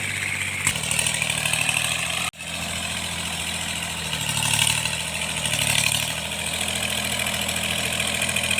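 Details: Tractor diesel cultivating under working load after an engine knock was repaired: pulls steadily with a smooth, even beat and no knock left.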